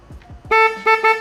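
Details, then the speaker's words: Honda CB450 "failed cafe racer" electrical check on new battery: three short, clear, steady horn blasts with no crackle or dropout; horn initially seemed dead until handlebars were properly grounded—normal horn operation. "horn is working okay i hadn't grounded the handlebars properly yet that's my mistake"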